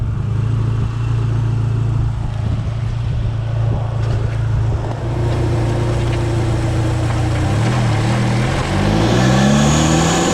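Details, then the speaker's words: Dodge SRT4 on Stage 2 upgrades, road test. Engine pulls and rises in pitch under load with an added hiss as boost builds; boost leak from a loose charge pipe coupler, to be fixed by tightening the hose clamp. "all right guys I don't know if yall saw that but it is the charge pipe coupler I saw it in the video whenever I watched it and thank goodness it showed up like that that makes my job easy"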